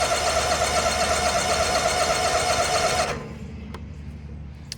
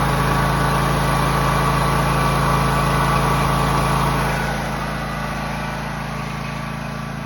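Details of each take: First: John Deere X304 lawn mower with 412.4 hours, sat about two years with likely stale gas, cranked at full throttle and full choke: steady starter churning about four per second for three seconds, never fires. Cranks but no start. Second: John Deere X304 lawn mower after freeing stuck carburetor fuel shutoff valve, carb not fully cleaned, sat about two years: steady even fast idle, slightly softer near the end, no misses; normal running.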